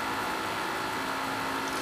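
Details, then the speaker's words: Dell XPS laptop fan ramping up under no load, on one side of the laptop: a steady airy rush with a faint hum and a raspy edge. The cooling fan is failing and was replaced. "so right there you can hear the fans start ramping up and you can hear how bad that fan sounds"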